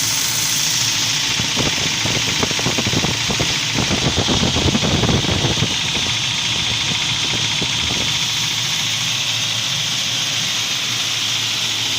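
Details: UAZ Patriot engine at idle: loose, uneven knocking of three or four raps a second, strongest for a few seconds; source undetermined.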